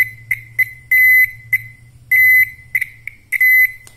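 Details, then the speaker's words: Old Toyota Kijang turn-signal flasher modified to drive a buzzer. A 2 kHz tone sounds in short irregular bursts, dropping in and out from a poorly soldered connection. Intermittent buzzer tone. "selain ke lampu dia juga ke bazer dia putus nyambung seperti ini menghasilkan suara kayak"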